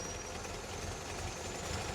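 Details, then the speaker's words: 1964 Triumph TR4 with a recently rebuilt engine, idling with the old distributor rotor (which has play) refitted for comparison: the idle is lumpy and unsteady. The scope shows high resistance on cylinder 4's spark line; the worn rotor causes the rough idle, and the new rotor restores it. "Then we're going to put back the new one. So she idles very rough for whatever reason with this."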